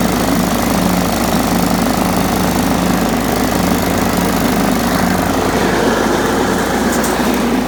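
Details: John Deere STX 38 riding mower, revived with a new battery: steady, even engine drone holding speed without misses or knocks; healthy, normal running.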